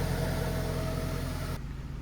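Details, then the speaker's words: 2003 Ford Focus after fuel filter replacement, idling while new filter checked for leaks: low, smooth, steady idle rumble with no misses, surging or knocks; normal idle. "And I'll just let this idle for a little bit here."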